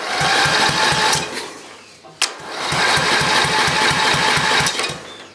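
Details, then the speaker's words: 10 hp Briggs & Stratton engine, starter refitted after cleaning and reseating the brushes, cleaning the commutator, greasing, and replacing the gear: two runs of even cranking, no faster than before but no longer squeaking; normal cranking. "yeah it ain't really cranking any faster but it sounds better it's not squeaking now it needed to be done anyway"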